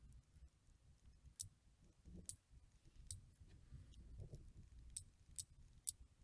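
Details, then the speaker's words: Chinese screw-in Shimano 7-speed bicycle freewheel after full teardown, lube and reassembly, wheel given a small kick: quiet, crisp single clicks a fraction of a second apart, clean even pawl engagement; smooth, healthy freewheel. "it's very nice very smooth filling and the clicks also are very very cool to hear"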